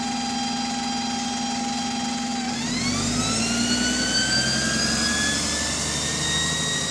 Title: Loud Gear Whining | AL DW310 On Bus Route 466 (Spot + 4)